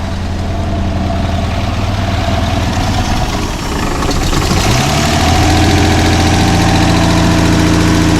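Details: 1981 Toyota Land Cruiser FJ60 parts truck, six-cylinder, started on starting fluid, suspect gas tank: uneven, lumpy running with speed sagging midway then surging back; rough running, struggling to keep going.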